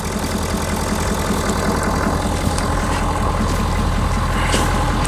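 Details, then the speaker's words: 2019 Ford F250 6.7L Powerstroke diesel just after EGR cooler upgrade, coolant line couplers still pending: even, low diesel rumble at idle with steady rhythm, no knocks or hiss; idles cleanly, no check engine light. "I don't hear anything crazy this is holding up very barely I do want to get those couplers but um yeah no check engine light"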